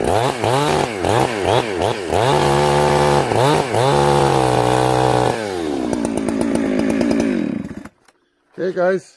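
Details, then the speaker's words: Chainsaw, warmed up, carburetor set very rich, cutting wood: revving note breaks into uneven burbling stutter in the cut instead of a clean scream. Four-stroking from rich carburetor mixture. "i want you to hear blubber in the cut that means that it's four-stroking okay listen for the four-stroke"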